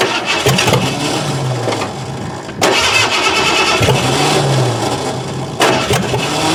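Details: 1988 Ford Crown Victoria sat about 5 years, after cleaning a corroded distributor cap, battery and charger connected: starter cranks at an even rhythm through several attempts but never catches or fires; crank, no start.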